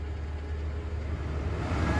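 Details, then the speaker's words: Citroen C4 Coupe VTS 180 cabin blower fan, previously dead, working after swapping control module from another car, no coding needed: steady, even low whoosh building slightly in strength, no rattle or whine; fan resistor suspected as original fault. "yeah as you can hear it it works"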